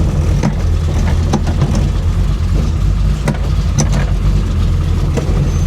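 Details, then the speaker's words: 1966 Chevy Impala V8 at idle: heavy low rumble with buzzing shake and irregular taps because the exhaust is not fitted right and vibrates the car, still to be adjusted; exhaust vibration from misfitted exhaust. "The exhaust is vibrating the crap out of the car because it's not on right. I still have to adjust that."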